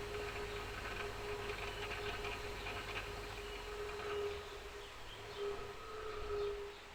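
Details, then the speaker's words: Rock saw arbor after replacing noisy old bearings, flat lap with 100 grit wheel fitted: low, quiet steady whir with a faint even tone, no grinding or rumble; new bearings running smooth, normal. "well i think my neighbours are going to be happy with it nice and quiet"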